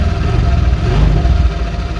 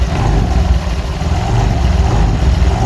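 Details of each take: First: Honda Vario 125 LED scooter in for rough CVT noise, started during teardown: even, steady low idle with smooth rumble and no rattle or scraping from the belt drive; CVT sounds healthy. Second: Honda Vario 125 LED scooter, tested before teardown: steady low drone with faint, evenly spaced rattly pulses; rough CVT noise caused by stiff roller housing cover not flexing to follow rollers up and down.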